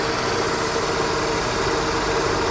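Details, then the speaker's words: Vauxhall Astra G idling with A/C engaged after replacing a faulty A/C compressor clutch that wasn't engaging; even idle with a faint steady compressor hum, no squeal or rattle; running normally. "Well, it sounded good. You can compressor is now turning, so"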